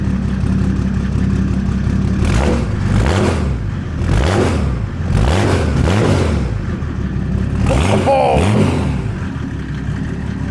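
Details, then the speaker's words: Mercedes OM606 diesel in a Land Rover build, first start after fitting the injection pump and turbo, mic near the exhaust: sharp throttle blips rise and fall quickly and cleanly with no lag, knock or stumble; healthy free revving. "You beauty. She's a quick revving little monster, ain't she? Sure is. That is fast. That's super responsive."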